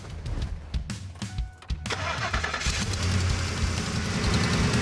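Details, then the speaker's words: 2004 Ford F-150 three-valve V8 (5.4), parked for months, before spark plug replacement: starter catches into an unsteady, lumpy idle with occasional stumble, running a little rough, possibly misfiring; rough running. "well we saw your application video sounds like it's running a little bit rough maybe misfiring yes sir"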